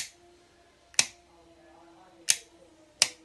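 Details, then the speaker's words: Winchmax 12V winch solenoid bench-tested on a 12.7 V battery, negative to center spade, positive to trigger terminal: three crisp definitive clunks, not clicks, as contactor engages and releases; solenoid switching properly. "you can hear a definitive clunk rather than a click so that is this the contactor staying connected and as i release releasing and that is what you should be able to hear from a fully functioning solenoid"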